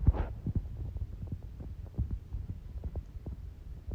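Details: Ring doorbell chime giving a low, steady electrical hum with faint buzzy ticks because the chime type is set wrong; the fix is switching between digital and mechanical under advanced settings in the app.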